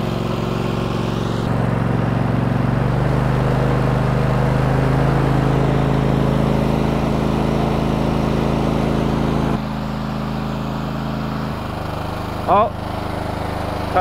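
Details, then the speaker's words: Cub Cadet GT2 LX42 lawn tractor, 22 hp twin-cylinder, running: an uneven drone that stumbles and drops in pitch as it cuts out to one cylinder, with intermittent firing on the other. "again that's running on one cylinder let's find out what cylinder it's running on because it is really running on one cylinder right now"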